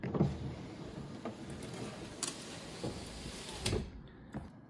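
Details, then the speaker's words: Ford Mondeo ST220 power window after lubing, final test with the door card refitted. A short, even motor run with light clicks at start and stop and no binding or grinding. The window works as it should. "The window has got one touch as well. I think it's only one touch down though. But that's working as it should."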